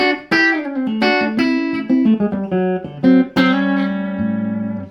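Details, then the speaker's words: Fender Princeton Chorus 2x10 solid-state guitar amp after repair, with broken snap-in main caps replaced and dry joints resoldered, played with reverb: clean, clear notes with no hum, crackle or dropouts. Amplifier output is normal. "Let's put a bit of reverb in. That sounds great, doesn't it? It just sounds, that does. Yeah, just for a cheap amp to play at home."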